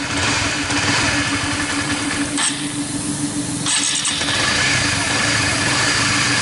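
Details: Honda CS1 after replacing the sticking automatic cam chain tensioner and changing the oil. The engine starts and settles into an even, quiet idle with no top-end rattle; the earlier rough ticking is gone and it sounds healthy.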